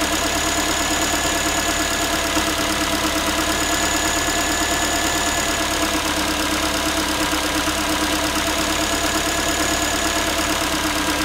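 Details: Ford Focus 3, 1.6 engine (125 hp), steady idle after a cold start: a light, tinny, evenly spaced and unchanging metallic rattle. The owner is asking what it is, and the cause is unconfirmed.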